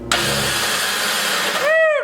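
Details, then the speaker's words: Mini dune buggy-style utility vehicle, battery freshly charged: turning the key gives a high whine that rises and sags while the engine never turns over. The starter spins freely without engaging and needs replacing, which requires pulling the engine. "try to hit the key and see what happens oh yeah it needs a starter"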